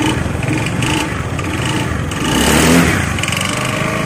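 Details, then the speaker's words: Honda Beat FI scooter, owner complaint of white smoke, oil consumption, rough sound and hard starting: rough, uneven note with gravelly rattle as it revs and settles; worn piston and rings burning oil, boring planned. "ini asapnya banyak yang sering makan oli suaranya juga kasar"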